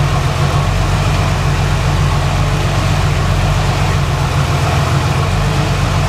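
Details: 1990 Jeep Cherokee, first start after power steering pump replacement, run to circulate fresh fluid; smooth, even idle with a steady low hum and no knocks or squeals, sounding healthy.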